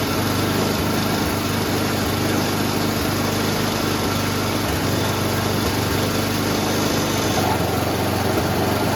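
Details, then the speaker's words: Noma/Murray Snow King 27" dual-stage snowblower, 9HP Tecumseh, on an electric-start test after a carburetor replacement, fuel check and new fuel line: an even, steady single-cylinder chug with no misses or knocks. Normal running; a drive fault is still unresolved. "today we swapped out the carburetor tested the fuel got a new fuel line through there engine runs great"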